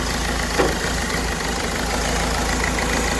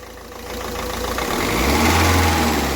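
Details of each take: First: Ford Figo, 94 km, code P0203: rough, lumpy idle unchanged when cylinder three injector connector is pulled; that injector has shorted, causing the misfire. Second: Ford Figo engine after repair of DTC P0203 injector circuit fault, which had caused knocking, hunting, pickup problems and a missing cylinder 1. Steady, even clatter rising smoothly with a light rev, no knock or missing; running clean.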